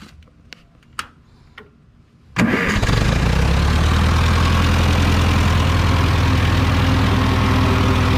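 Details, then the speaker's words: Ferguson TO20 tractor after points-to-electronic ignition conversion; a few clicks, then it catches and settles into a steady, even idle, now running on all four cylinders instead of one: normal idle. "this one went from running on one cylinder to all four of them so she'll pull down a pine tree now"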